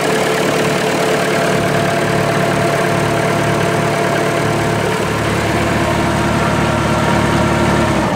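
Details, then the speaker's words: Massey Ferguson 180 diesel tractor after bleeding fuel lines following running out of diesel: even steady chug around three to four beats a second, no stumbles or misses; healthy idle. "okay this tractor should fire up no problem because we actually had nothing to bleed"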